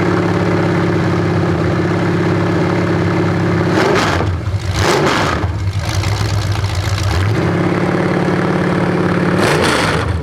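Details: 427 big-block Chevy on an engine run stand at first fire after a long time unrun, after distributor timing was loosened and adjusted (owner thinks he turned it the wrong way): lumpy, even V8 idle with clean throttle blips, no knocks or misses; normal idle and revving.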